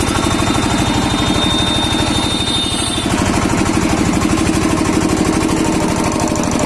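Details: Kirloskar diesel after diesel filter replacement for a starting problem: slow, even thumping of about three beats a second with no misses; normal running.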